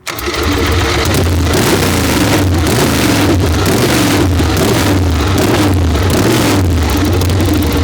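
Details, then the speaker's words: Excelsior V-twin motorcycle "Harry", first start in 3.5 years after fitting new spark plugs (old plugs looked wet): loud uneven V-twin lope with throttle blips and crisp response; runs strong and healthy, normal running. "That's what Harry's supposed to sound like."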